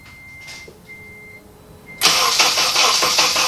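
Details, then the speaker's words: 2003 Honda Element, first start after swapping in a home-rebuilt K24A4 engine, with oil and coolant filled and gas believed present. A few warning chimes, then the starter churns steadily at about three beats a second and never fires. Extended crank, no start. "I'm gonna let this starter cool down for a second. I didn't forget any plugs, as far as I remember."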